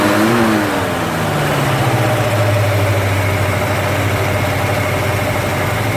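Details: First start of a rebuilt 289 V8 after an almost two-year restoration, never run before: revs drop and settle into a smooth, steady high idle with an even exhaust beat and no knocks or ticks. Oil pressure is great and coolant is warming. Healthy.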